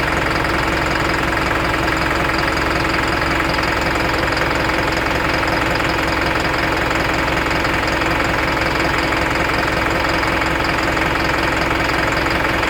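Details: Isuzu NPR diesel with check engine light and DTC P0202: steady idle with a sharp, regular knock about 160 a minute over the diesel clatter, from the cylinder 2 injector circuit with a loose connection.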